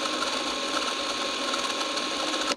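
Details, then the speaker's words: Late-model Super 8 sound film camera running: a fast, dry, scratchy whirr with a high screechy edge throughout; scratchy mechanism noise, suspected to need lubrication, not confirmed. "It's a bit of a screamer. It definitely needs lubrication, okay? This is probably my scratchiest... Listen to this. Oh!"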